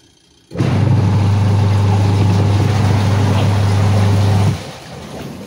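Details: Sharp EST75MW twin-tub washing machine, final test after gearbox repair for non-spinning washer: motor starts cleanly into a smooth, even low hum for about four seconds and stops; pulsator drive now runs normally.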